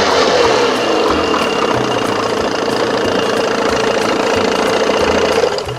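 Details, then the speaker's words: 1987 Johnson 6 hp two-stroke outboard after fitting a smaller jet, mixture screw out 1.5 turns: buzzes along at a steady, even pace with a crisp note and no stumbling; runs clean and healthy. "Woohoo! Boy, she sounds good. Listen to that."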